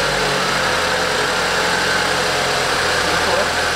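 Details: BMW X1 on its first start after workshop work, with the battery recharged beforehand. It idles with a harsh, hissy mechanical clatter and a faint high whine over it that startled the crew. Abnormal engine noise, source not yet identified.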